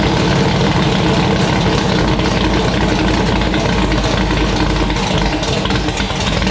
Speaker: It starts, it idles, the car revs up, it sounds pretty good. You know, the cam seems to be doing cam type stuff, so there's no noise.